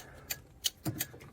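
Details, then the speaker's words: Suzuki Samurai/Jimny/Sierra SJ413 during dash reassembly with a newly installed combination switch. The turn signal is switched on and the flasher relay clicks sharply and dryly about three times a second in a steady pattern; normal turn signal flasher clicking. "I'm going to turn my turn signal I'm just curious which wire it is that's I mean cuz obviously we're we're clearly feeding the turn signal relay cuz you can hear it click"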